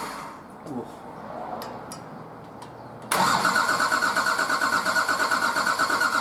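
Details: Nissan Patrol RD28 diesel, first start after injector and pump install, idle over six months: quiet stretch with scattered clicks, then catches into a steady, fairly even knocking idle after bleeding air from cracked injector lines.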